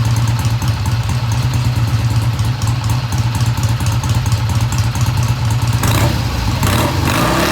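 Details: 1971 Triumph T120 twin, first start after work, no tach fitted: idle fast at first, then drops to an even, steady idle with a deep regular exhaust pulse and no knocks or rattles; normal idle.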